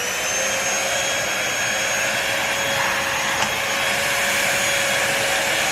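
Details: New Bissell 3-in-1 Lightweight Stick Vacuum, model 2030, switched on for sound test before cleaning crumbs and sand: steady high-pitched whoosh, constant pitch, no rattles or surging; motor runs normally.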